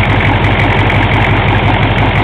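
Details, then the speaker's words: 6.5L turbo diesel, warm (upper rad hose warm), timing set to spec 8° retarded from factory marks, transducer clamped on injector one line; steady even idle clatter, less blow-by than before, owner suspects rings still seating. "a lot less block and me I guess that's probably a good sign I mean a little bit of eag block but sounds pretty good"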